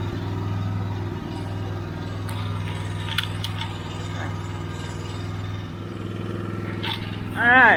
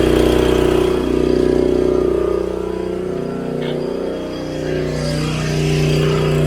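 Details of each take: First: Old, long-stored generator after carburetor bowl cleaning: steady, low, lazy drone with no surging or pickup. The engine runs and turns the generator shaft but produces no power; a connection fault in the back box is suspected. Running too slow. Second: Long-stored generator, starting but not producing power, brought up to speed: a steady, even drone at governed speed with regular firing and no misses or surging.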